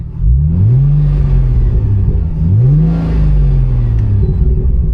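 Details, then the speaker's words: Plymouth Prowler after body-shop damage repairs, just back from a 10-mile test drive: two clean blips rising quickly and settling to deep, even rumble with no misses; runs healthy. "good, sounds good. It did the 10-mile trip with no trouble at all."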